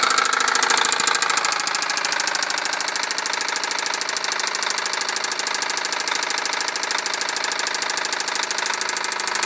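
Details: 1998 Honda Civic cold start: loud, hard knocking hammering steadily through idle, roughly three per second; severe rod knock.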